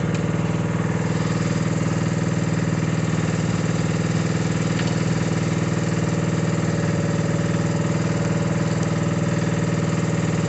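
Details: Mini digger diesel, previously not starting (lazy starter motor suspected), holds a steady, even beat at idle with no knocks or misses; normal running.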